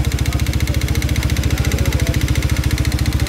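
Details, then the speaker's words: Engine whose knock grew from faint to loud, scoring the block, hard to restart once stalled: fast, deep, heavy knocking about 3.5 per second over the idle, called piston knocking; connecting rod knock with scored bore. "Eh, malayo pa lang, alam na yan eh. Ganyan ang tunog ng ano guys, ng piston knocking."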